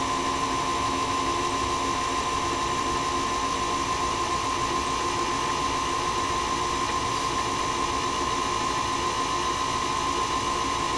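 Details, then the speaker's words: Singer Featherweight 221 sewing machine motor, after repair of damage from wrong lubricant, belt turning balance wheel but not needle shaft; smooth, steady whir, clean constant tone, no grinding or rubbing; normal motor run. "coming over the balance wheel with a belt so I guess technically there's some modest load on the machine but it's not turning the shaft that goes to the needle"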